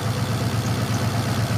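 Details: Turbo Cobra with new intercooler piping, idle screw reset after it idled around 500 rpm and died: now steady even idle near 1,000 rpm, no misses, stumbles or hunting; smooth, healthy idle.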